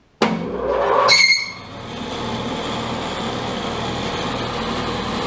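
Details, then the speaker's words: New Laguna 18bx 18-inch 3HP bandsaw, just set up with a fresh blade, gives a sharp high squeal at switch-on that settles into a steady whine at speed; drive belt squeal. "on now I didn't have to turn it off off the foot pedal disconnects the power so do have that squeak"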